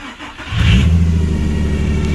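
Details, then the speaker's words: Ecotec engine swap after correcting coil pack firing order, fuel pressure good: catches and revs to a steady, even rumble with no stumble or popping, no knocking; a noise assumed to be the power steering pump. "Oh, that seems a lot better. Oh yeah. That noise there, I'm going to assume is the power steering pump."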